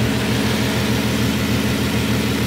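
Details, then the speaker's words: Bentley W12 engine at idle with the accessory belt off: steady, even low idle with no rattle or knock, purring like a kitten; the earlier rattle is gone, engine runs smoothly. "Alter der schnurt wie ein Kätzchen heftig okay"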